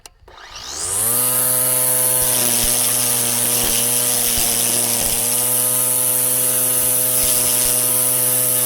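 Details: Black and Decker LST136W 40V string trimmer after repair, new gear spindle and housing, on fully charged battery: spools up in a second to clean steady high whine, no rattle or grind; healthy.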